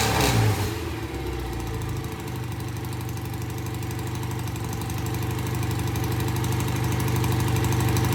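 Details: BSA A65 twin with new Premier carburettors, pilot jets just cleaned. Cold start after tickling fires quickly into a steady, even low-pitched idle with no misses or knocks; both cylinders firing cleanly. Normal idle.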